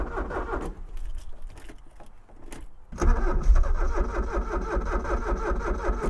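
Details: Abandoned Porsche 944 that ran a week ago cranks with no start. The starter turns the engine in a steady rhythm, about two and a half turns a second, but it never catches. The owner suspects sticking injectors after zapping them with a power probe; not confirmed.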